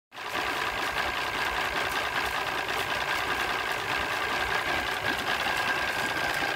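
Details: Mariner 200 EFI outboard at idle: uneven, stumbling beat with a faint steady whine on top; rough idle, cause not clear.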